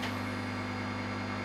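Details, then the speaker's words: Jones & Shipman 540 surface grinder run for the first time, fed from a rotary converter: the spindle motor gives a steady low electrical hum with a faint, even whir. Normal spindle motor running. "that sounds like something else running and that's stop that I don't know which ones which okay well let's just try that's doing something right that's the spindle"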